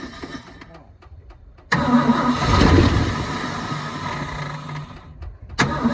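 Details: 1972 Ford F-350 auction truck on a chilly day, bowls full: quiet ticking, then catches and runs a few seconds before sagging, cranks again; not pumping fuel, and a frozen part found afterward needs penetrant.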